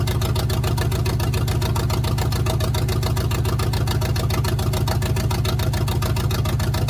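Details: 1971 GMC truck V8 after installing block hugger headers: a lumpy, loping idle at about 3.5 pulses a second, like a cylinder dropping out. One plug was wet and not firing; the owner suspects ignition. Rough idle with misfire.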